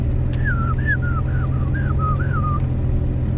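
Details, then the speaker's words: First-generation 4x4 GMC S15 Jimmy, driving: rhythmic high-pitched front brake squeal about three chirps a second over road rumble, pulsing with wheel rotation, no grinding yet; owner suspects warped rotors, not confirmed. "i believe somebody has replaced the rotors with pringles as in they are not flat like it you can hear it making contact not making contact making contact not making contact"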